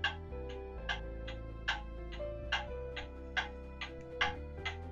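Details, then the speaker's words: Pendulum clock movement on a test stand with beat amplifier, after leveling the movement: even tick-tock at roughly seventy beats a minute, equally spaced; clock now in beat. "that sounds pretty good to me The Tick Tock is even and the Pendulum will continue to swing so the clock is now in beat"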